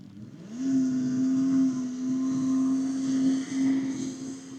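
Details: Vintage twin-cylinder snowmobile (TX340) on its first passes of the fall shakedown: crisp, steady two-stroke howl climbing onto the pipe and holding an even high note under load; runs clean and healthy.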